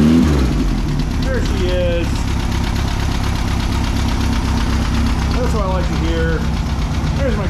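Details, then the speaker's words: 1600cc air-cooled VW dune buggy flat-four after oil and spark plug change and correcting swapped cylinder 1 and 2 plug wires: steady even idle with some chirping, no missing or popping, running much better. "it's much happier that's not why it was missing before though I promise you that this sounds way better"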